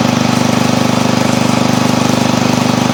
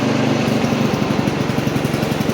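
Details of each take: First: Old Montgomery Ward Power Kraft garden tractor single-cylinder engine with choke and throttle up, at first start after cleaning, oil full: a steady, even fast beat with no misses or knocks, running smoothly; a stutter appears later when driving. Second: Old Montgomery Ward Power Kraft tractor driving in first gear with choke up: single-cylinder engine pulls with an uneven pulsing beat and brief stumbles under load; stutter, cause unclear.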